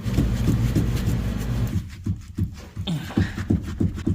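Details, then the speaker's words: Third-gen Toyota RAV4 (possibly '07) on a jack with a front-end noise: dull, low clunks about three times a second as the steering is rocked, from the electric rack-and-pinion steering rack visibly moving. "all right there you go you hear that really moving sound right there"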